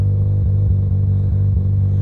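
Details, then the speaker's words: Mazda RX-7 FD rotary after ignition coil fix, just started: steady low throbbing idle with slight regular lope, no knocks or rattles; AFR reading very rich, owner remarks on it. "let's see the AFR just definitely be a little richer Jeff Jeff likes it rich he's oh my goodness gracious that is freaking rich man"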